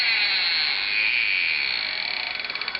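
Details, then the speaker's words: Small pump in a refrigerator detector setup: shrill steady buzz that wavers, then breaks into a fast pulsing flutter of about fifteen beats a second; pump vibrates internally, heats noticeably and intermittently restarts at full speed; cause unknown. "alors en plus il y a des bruits bizarres sur la pompe voilà j'aurais pas dû toucher ça"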